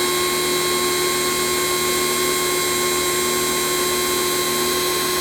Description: Does not supply adequate pressure, motor never cuts off, power switch defective, high pitch whine, failed on second use